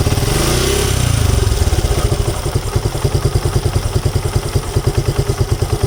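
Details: Suzuki Gixxer motorcycle after a brief throttle blip settles into a loose, irregular idle clatter over a thumping exhaust; owner suspects timing chain noise.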